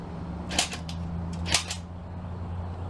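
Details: Old Honda engine on bench, makeshift wiring, full oil: two sharp single clicks about a second apart with no cranking; poor electrical connection suspected.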